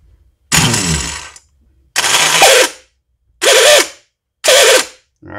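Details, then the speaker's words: Troy-Bilt Storm 5024 snowblower, Powermore 208cc engine, JC170 electric starter bench-tested off the machine after a no-start: four harsh, ragged whirring bursts that spin up unevenly and cut out; it only partly works, with internal winding fault suspected; the starter was replaced. "something is just not right in there so it's partially working"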